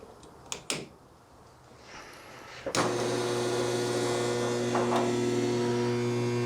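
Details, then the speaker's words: Willys CJ2A Jeep, first start after sitting about a year: there is spark, but the starter only gives a steady electrical buzz with no cranking. The owner suspects a bad starter relay and tries tapping the starter with a hammer. "It kind of sounds like a bad yeah, a bad starter relay thingamabob."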